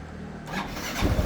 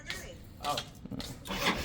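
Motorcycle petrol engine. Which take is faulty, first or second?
second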